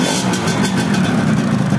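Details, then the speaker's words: Yamaha F1ZR two-stroke after an engine rebuild: thin, uneven, powerless idle that dies when the throttle is backed off and won't pull when ridden. Weak compression, traced to the spark plug seat in the cylinder head. "kata yang punya ini habis turun mesin tapi suaranya jadi bindeng alias gak ada tenaganya nahar sekali teman-teman suaranya kayak gitu seperti kompressing Bos tadi pas saya coba jalan aja enggak mau lari"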